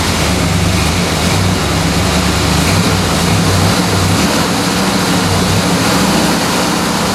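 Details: Four-wheel-drive-converted 1970s Dodge Tradesman van with a freshly rebuilt 318 V8, first start after correcting the distributor wires and oiling fuel-washed cylinders: strong, steady V8 rumble with even firing and no knocks or misses, so the engine runs cleanly.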